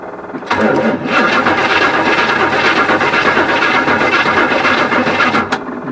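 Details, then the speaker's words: 1974 Avanti cranked on a weak battery after sitting; engine cranks steadily at about four turns a second, fuel pump heard working, but never catches; no spark seen, and points to be inspected next. "don't see any Spark not sure how good of a spot that was give it another shot here"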